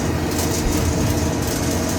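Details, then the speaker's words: New Siemens washing machine: loud, rough, continuous grinding rattle. "Siemens hace un ruido infernal. Dicho Soluciones. Pero por Dios, ¿qué ruido es este? Pero si la lavadora es nueva."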